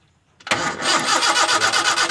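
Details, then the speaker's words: Toyota Kijang no-start: a spark is now present at the coil lead after the coil and resistor were rewired. The starter churns steadily with even compression pulses, but the engine never catches; cranks but won't start, still under diagnosis. "Oke sobat semua belum bisa hidup sepertinya masih kita harus cek dulu"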